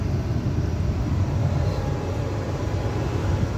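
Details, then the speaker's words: Furnace blower after repair: the old blower motor was locked up, so a new motor and new capacitor were fitted, reusing the old bracket. Low, steady hum with even airflow, no knocks, rubbing or wobble; running smooth and quiet. "we put a new motor in new cap I reuse the same bracket and she's buring like a kitten"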